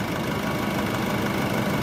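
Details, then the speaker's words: Normal idle on a used Nissan YD25DDTi 2.5L turbodiesel from a 2006 Pathfinder R51 with 277,812 km, no check engine light and no engine faults; even diesel clatter at a steady idle with no misses, knocks or hunting. "автомобиль nissan патфайндер 2006 года выпуска двигатель 2 и 5 турбодизель запуск двигателя работа двигателя 2 ."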